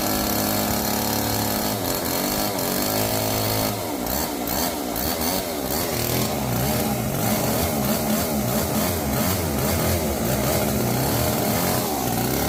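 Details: Old neglected Homelite chainsaw, previously locked up after sitting outside, run after adding bar oil and loosening the chain; small two-stroke buzzes steadily and revs up and down crisply; runs fine.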